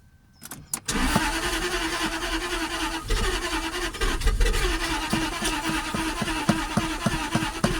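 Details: Jaguar XKR with persistent "Restricted Performance" fault, checked with live scan data: engine catches after a short crank, then runs unevenly with irregular stumbles and pops, barely holding idle as if about to stall; rough unstable idle, cause unknown.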